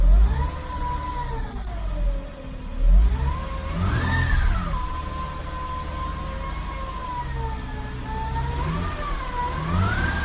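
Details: 2012 Acura MDX, timing belt, serpentine belt, transmission and transfer case fluids done within last 7K miles, no power steering leaks or bubbles: new whine rising and falling with engine revs, seemingly from behind the engine, source unknown; owner wonders about tensioner pulley; engine speed-dependent whine.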